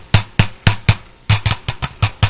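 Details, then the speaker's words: Blown speaker from a Lab Series L7 with a burnt voice coil that still measures reasonable DC resistance. Tapping the cone gives a harsh buzzy rattle, not a clean thump, and moving the suspension rubs audibly. "you get one heck of a rattling sound out of it then when you move the suspension in and out you hear a little bit of a rub there and you can actually feel the rub as well"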